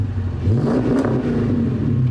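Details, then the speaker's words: 2018 Dodge Charger Pursuit V8 with new exhaust (stock cats, Flowmaster resonators), revving after warm-up: deep smooth rumble blipping up and settling, no ticks or rattles; healthy. "Dang. That sounds good, dude. It does. It's not like super crazy, but it sounds just right."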